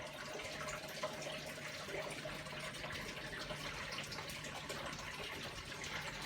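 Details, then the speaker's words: Hotpoint Aquarius WMA32 1200-spin washer, which previously failed to pump out after agitating, on a fast spin run after a quick agitate: a steady low hum under rushing, gurgling water as the tub empties; drain pump working normally. "so we've done a quick agitate there it is pumping out water is going out of"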